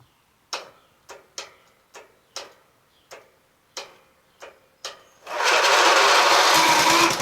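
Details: Yard Machines MTD lawn tractor repowered with a Toro 12.5hp Briggs flathead, safety switches bypassed, new fuse holder, battery and fuel line, solenoid wire fed directly. About eight starter bumps, then it catches into a loud steady run; normal cranking and start.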